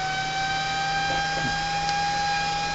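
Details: CNC cooling fan on an autonomous temperature-based fan controller, its thermocouple heated with a heat gun: a clean, steady high-pitched whine with an airy rush, holding constant at top speed; fan running normally at full speed.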